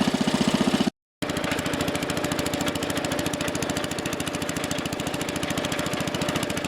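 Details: Wheel Horse Commando 800 tractor with 8 hp pull-start single, after sickle bar mower belt replacement: a small single-cylinder engine chugging at a fast, even beat with no misses or knocks, running smooth and steady.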